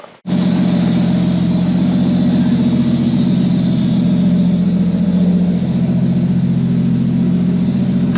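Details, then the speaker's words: Mk3 Supra inline-six after correcting a wrong firing order, fitting a new trigger kit and new exhaust: steady, even idle with a smooth deep exhaust hum and no misses or stumbles; runs cleanly and sounds healthy. "it sure sounds a lot better man"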